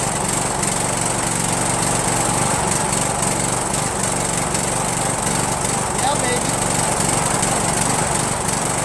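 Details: Rebuilt spare Briggs 17.5HP engine (two broken synchro balancer counterweight links replaced) repowering a Yard Machines lawn tractor, first start on choke with no belt on the pulley. Loud, ragged running with no steady beat and backfires; owner suspects the carburetor.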